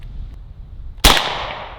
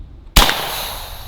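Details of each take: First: AEA Defender 2 air rifle firing on one barrel, after the second barrel had discharged its air without the trigger being pulled: a single sharp crack with a short airy tail fading over half a second, a clean normal shot at about 301–307 ft/s. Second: AEA Defender 2 airgun with two barrels loaded: one sharp crack with no trigger pull as the second cartridge fires on its own, firing nothing, then a fading rush of air as the reservoir fully empties; unintended discharge from double feed.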